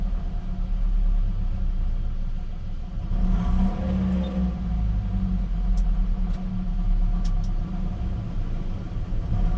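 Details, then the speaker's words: Gen 7 Toyota Celica just after fuel pump and filter replacement: low steady rumble, smooth even idle with no misses or knocks; normal idle, best in a while, fuel trims possibly still relearning. "It's idling. This is the best idle I've had in a while."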